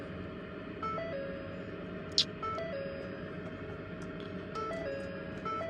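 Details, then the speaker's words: 2013 Ford F-150 EcoBoost, ran fine until parked a day: repeated short two-tone dash warning chimes with several warnings shown, no cranking or engine sound; no crank no start, battery disconnect didn't help, cause unknown. "Getting all these warnings. No start."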